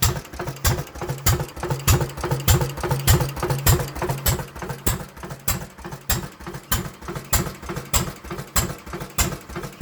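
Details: International M 3 hp engine first run after repairs and adjustments: crisp, evenly spaced firing pops about every two-thirds of a second with a steady beat; runs healthy.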